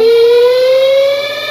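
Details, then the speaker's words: Twin-tub washing machine, spin cycle started by timer: loud piercing squeal from the bottom, rising in pitch as the spin drum speeds up; dry, worn seal between shaft and spin tub centre seal. "pero además genera ese sonido la máquina general la máquina genera ese molesto sonido en la parte inferior digamos es el problema está entre el eje y el sello o empaque que va en el centro de la tina de centrifugado eso pues debido a la resequedad debido al desgaste"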